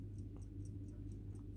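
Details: Old family pocket watch. Crisp, even ticks at about four a second over a faint hum. The watch is running normally.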